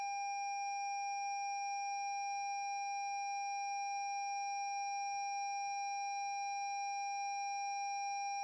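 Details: 2017 Lexus NX 200t after jump cables were connected reversed, new battery fitted, starter won't turn, start button pressed: steady unbroken high warning tone over near silence; warning chime after reversed jump-start.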